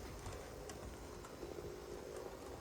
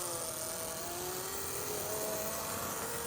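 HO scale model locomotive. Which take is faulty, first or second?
second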